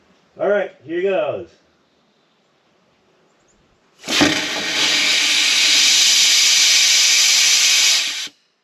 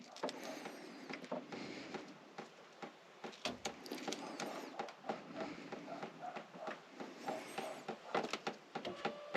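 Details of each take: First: 1979 Mercedes 450SL sat 9 years, fuel return line blown out with compressed air: after a pause, one strong, unbroken four-second hiss with no choking, blowing fuel out; the return line is open. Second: 1979 Mercedes 450SL that sat untouched for 9 years: electric fuel pump powered directly with a power pack buzzes in uneven, stuttering bursts instead of a steady hum, so it is running rough.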